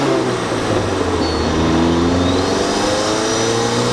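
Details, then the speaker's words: Turbo Miata with stock BorgWarner recirculation/diverter valve, before Turbosmart Kompact upgrade: engine revs with rising tones, thin high whistle off throttle as valve vents; owner calls it an annoying eBay-blow-off-valve-like whistle. "I would not consider it a cool turbo sound it's more of an annoying almost like eBay blow-off valve whistling"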